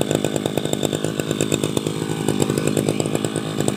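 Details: Tabata two-stroke brush cutter, 7+ years old, original block and piston, rings replaced, piston carbon cleaned, unused some days, new strap; high rapid even buzz with no misses or rattles: normal running.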